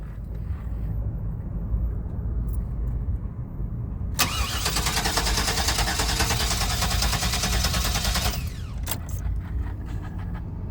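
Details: 2000 GMC Savana conversion van, raw start attempt without starting fluid: starter spins the engine steadily, about three turns a second, for several seconds, never fires; cranks, won't start, bad fuel pump suspected.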